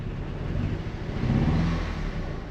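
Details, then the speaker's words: Petrol Audi TT project car that previously wouldn't start: now starts but idles really badly, a low, lumpy, stumbling idle. A misfire of unknown cause; the owner had wondered whether the injectors were bad. "And I have actually been able to start the car, but it does idle really, really badly."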